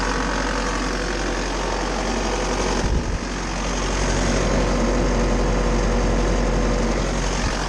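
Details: Bobcat T590 diesel after water pump replacement (old pump bearing failed, seal leaked coolant), coolant topped up, waiting for thermostat to open, no leaks: steady, even idle with smooth low rumble, no knocks or misses.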